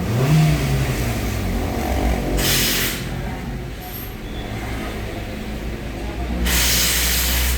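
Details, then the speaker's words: Hyundai i10 that idled high at 2,000 rpm with a TPS circuit performance code, after a scan-tool relearn: two crisp blips, then each drops back to a steady, even 900 rpm idle with no hunting; fixed. "2000 rpm bumaba ng 900 pag ni-revolusyon to nataas rev natin ah lakas naman ph000 bumaba pa siya allr 900"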